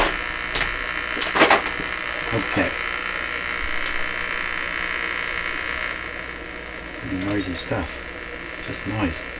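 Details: Nordmende Traviata 59 tube radio, after capacitor work, hooked to shortwave antenna: steady hiss and crackle with faint whistle and occasional chirps, no station coming through; just shortwave static noise.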